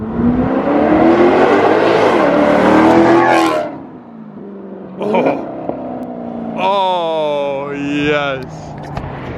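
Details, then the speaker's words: 2018 Maserati GranTurismo V8 with a replacement engine on its first test drive, non-resonated X-pipe, sport mode bypassing the mufflers, two primary cats retained: loud open exhaust pulls cleanly up the revs and drops off throttle with no misfire or knock. Healthy. "gosh that sounds so good that non-resonated x-pipe with sport mode bypassing the mufflers basically it's like darn near straight pipes except you still have the two primary cats"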